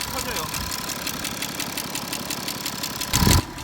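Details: BMW F10 535d diesel at idle with an odd engine noise thought to come from the rear of the engine: quick, even ticking about six or seven per second over the idle.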